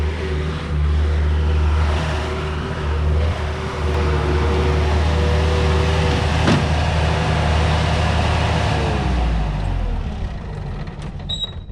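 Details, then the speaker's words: Bobcat 873 skid steer diesel with a stalling fuel issue, running on the old filter installed last time: low, steady drone for several seconds without stumbling or surging, then winds down smoothly; longest run since the problem began. "all right well that's a good sign I mean uh that's pretty much the longest it's made it since this problem started going"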